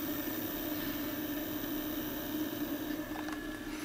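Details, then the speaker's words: Brand-new MarsRock GTIL2000 grid-tie inverter with limiter after 5 days on the wall, low output in cloudy weather: steady mid-pitched hum with rough, scratchy edge and faint creak; cooling fan bearing failing. "hello guys can you hear that this is the sound of a Dying fan The Creeks"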